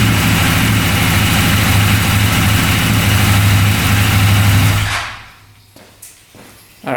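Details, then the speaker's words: 2016 CFmoto Zforce 800cc UTV, first start after new starter, previously cranking very slowly: heavy laboured low chug, struggling to turn over, heating up fast, then shuts off; owner suspects a tight bearing, timing fine. "it's running, but I can tell something's going on. It's getting hot really fast. Usually if like a bearing's tight, it'll get really hot while it's spinning and heat up the whole engine really fast."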